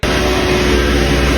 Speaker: 是轮胎轴承响，这种声音；